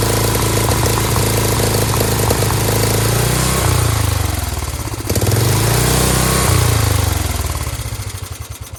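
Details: Dayton lawn tractor's 11 hp Briggs single-cylinder, first run with a leak and stuck choke, runs with an even beat, picks up briefly, then winds down smoothly to a stop.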